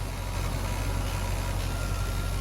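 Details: C50 truck idling right after a power steering conversion, with the steering wheel turned back and forth; a steady, low, even rumble with no whine or groan from the new pump and no leaks seen. It runs normally.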